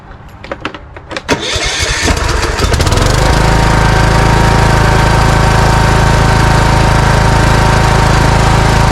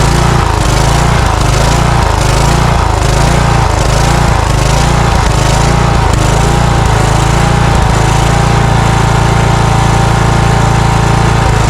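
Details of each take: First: Cub Cadet riding mower with Kohler engine, surging and backfiring from fuel starvation, after carburetor replacement and new air filters: a few uneven cranks, then fires and settles into a smooth, even run with no surging. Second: Cub Cadet riding mower with Kohler engine surging, speed hunting up and down about every 1.5 s; partly closing the choke smooths it, so it is running lean, suspected restriction in the carburetor.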